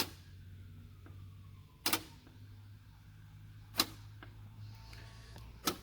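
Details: JVC DLA-RS15-U D-ILA projector with no power; lens door seems to try to open and stick. Sharp clicks about every two seconds over a faint motor drone as the door mechanism keeps cycling; no light on power button.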